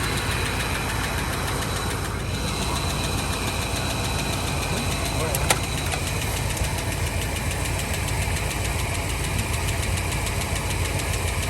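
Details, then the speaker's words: 1984 Fox body that sat 20 years, 40k original miles, idling: light, quick top-end ticking over a steady idle; owner hopes lifters are just short of oil from sitting; good oil pressure, runs smooth without missing, some smoke. "There's a little lifter noise over here. I'm hoping that's just because those lifters are out of oil from sitting so long."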